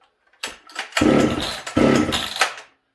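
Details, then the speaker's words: Ported Husqvarna 266SE chainsaw with HS carb, owner suspects sticking needle and seat: two short sputtering bursts that die within a second, plus pops; fires but won't keep running, owner thinks it flooded. "I think we flooded it, guys."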